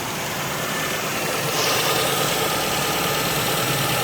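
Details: 2008 Ford Fiesta Mk6 1.2 manual at idle after fixing a power steering pipe leak and refilling the fluid. Steady idle with a soft hiss and no pump groan or whine; steering system sounds healthy.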